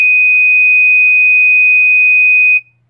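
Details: System Sensor MASS121575ADA alarm horn on its continuous-tone setting, clip C inserted; one steady, high, piercing tone held about two and a half seconds, then cut off cleanly. Continuous tone alarm.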